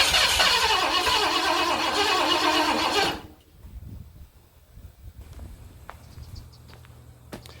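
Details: 1978 Ford F-250 460 V8 with a new HEI distributor, sitting about 15 years, gas poured down the carburetor: the starter spins it steadily about three seconds with no firing; cranks but won't start, cause unknown.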